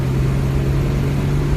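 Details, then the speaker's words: 1968 Ford Mustang coupe, 200 ci inline six, 243K miles, never rebuilt, accelerating under light throttle out of a turn past 40 mph toward 60: even, steady drone with no knocks, ticks or rattles. Runs normally. "okay very very imprecise acceleration there but I get it grace because how old she is and how many miles are on this little thing"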